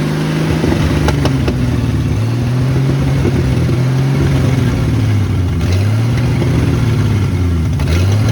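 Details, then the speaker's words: 1972 Ford F100 Custom six on old coil, front exhaust pipe missing, fed from gas bottle: loud raw exhaust with even firing beat swelling and dipping with throttle, no knocks, misses or smoke; healthy engine. "okay we ran it one more time just to test the old coil and the coil actually worked so uh it's it's a running engine now it sounds awesome yes it's loud but there's no noise there's no smoke"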